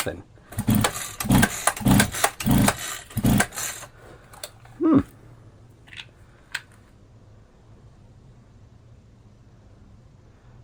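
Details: Champion 23C string trimmer, found discarded, after adding fuel and priming, no choke found: five quick rope pulls, each a short spinning rasp, then quiet with no firing. Turns over but won't start; cause suspected, not confirmed.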